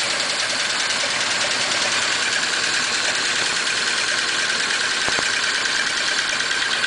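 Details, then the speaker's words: 1941 Pontiac straight-eight after repairs, started again and smoother than first start: idle with a slightly uneven, loping beat as a valve keeps hanging up and drops a cylinder now and then; sticking valve misfire. "ah you prick W there it picked up that valve yeah it's got a valve that keeps hanging up"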